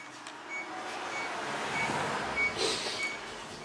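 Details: transCooler 25 cooling box with BD220 compressor, not cooling and out of refrigerant; leak detector gives faint, evenly spaced high beeps over hiss at a hole the customer drilled into the evaporator, a refrigerant leak.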